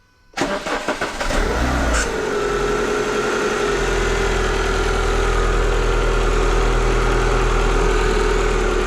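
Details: Car engine started with the AC switched on: it cranks and catches, then a steady high squeal sits over the idle and settles slightly in pitch. Suspects a worn crank pulley insulator slipping, the AC, or a throttle-body servo motor.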